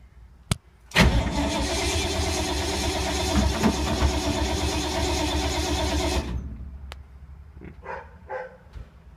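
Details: 1952 Ford, sat for months in rain, possibly flooded: steady starter churn of about two and a half strokes a second for five seconds, no firing, then stops; cranks, won't start, owner suspects points and condenser, needs prime.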